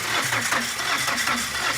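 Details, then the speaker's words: Tata Winger diesel that will not start after its timing belt broke: starter spins the engine fast, even and very freely with no compression beats; bent valves found, number one cylinder valve bent. "इसलिए car में आरंभ करना एक समस्या है। Car शुरू करना नहीं। शुरू करें, यह देखो। का इंजन बहुत स्वतंत्र रूप से घूमता हुआ।"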